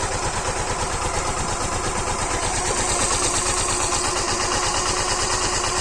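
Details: Suzuki Gixxer BS6 fuel-injected engine after valve timing tappet adjustment: steady, even idle with a smooth regular beat and no top-end tapping; valve train sounds quiet and healthy.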